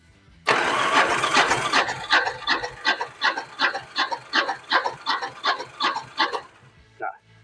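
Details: Yamaha Virago 1100 cranking on the starter during a rear-cylinder compression test with a gauge fitted: even, strong puffs about two to three a second. Good compression, and valve clearances were found correct.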